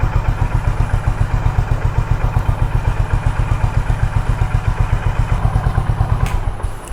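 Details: Honda H'ness CB350 after throttle-body cleaning/service: even deep thumping idle about four beats a second, steady without throttle, no misses, no engine malfunction light; healthy.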